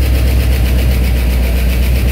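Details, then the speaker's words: 1968 early Ford Bronco with newly installed FiTech Go Street 400 hp EFI, first run after over ten years sitting: deep, even idle with steady low beat, no knocks or misses, as the EFI apparently learns and settles to a low idle; normal. "oh man I pretty good and changing yourself around I guess it's learning so brought itself down to a low idle"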